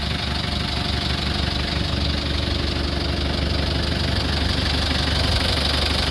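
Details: 2003 Mitsubishi L300 Solar diesel pickup: loud heavy idle with rough chuffing clatter about three times a second; heavy blow-by from worn piston rings, engine needs overhaul.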